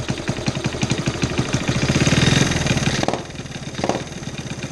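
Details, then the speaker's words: 1972 Honda CT70H, sitting 15+ years, cold first start of the day: rough uneven idle about four beats a second with sharp puffing pops; compression escaping at the head/cylinder joint because bolts holding head and cylinder are missing. "Then I find out, there's no bolts here, no bolts here. Yeah, there's pressure coming out of here."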